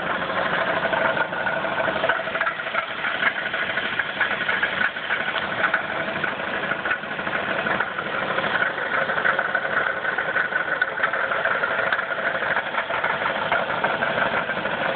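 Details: 1994 Chrysler 3.3 petrol V6 with 77,xxx miles, idling with a steady, rapid knock over the engine note. At least one bad rod bearing is suspected and unconfirmed. Rod knock at idle.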